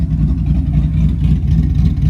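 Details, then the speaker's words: 1967 Chevy II Nova with a 5.3L LH6 and LSA supercharger on E85, during the first tune with idle dropped to about 800 rpm: steady, low, lumpy idle with an even beat, no knocks or misses; normal. "he dropped the idle down to like 800 sounds pretty good"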